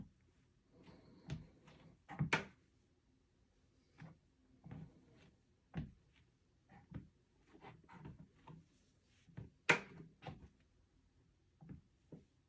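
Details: Two-week-old LifeSpan TR1200B treadmill: irregular dull clunks and knocks in bursts as weight shifts, like a soft or loose spot under the deck.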